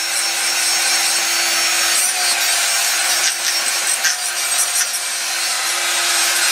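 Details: Ryobi TR-31 laminating router bought at a yard sale: high rough rasping whir with uneven rattle over steady motor tone, dims the lights; bad bearing, rear bearing has play and runs rough.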